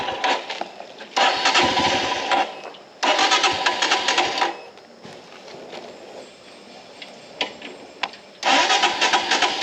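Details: Royal Enfield Himalayan BS VI single-cylinder engine after a cold morning start: loud intermittent rattling bursts over the idle, every morning only; the dealer service found no fix.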